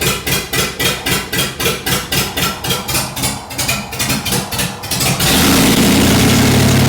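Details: 1948 Ford F1 pickup with a swapped Fox Body Mustang engine on open headers and no wideband yet, running a boosted-truck tune that doesn't suit the cam: a lumpy, loping idle at about four beats a second, then a throttle blip; rough and running rich.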